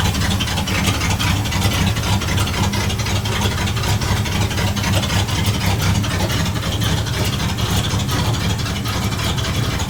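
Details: Steady idle of a 1960 Dodge D100 engine with an uneven tapping riding over it at roughly two per second; the noise persists and its source is not yet found.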